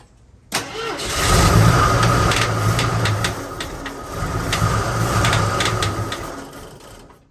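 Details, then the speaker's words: AMC Concord parked since 1997 for carburetor issues, first start after 26 years: it runs lumpy and uneven with a loping beat and irregular knocks, unknown knock, no oil pressure showing. "Don't like that. I don't know what's knocking, but it don't sound good."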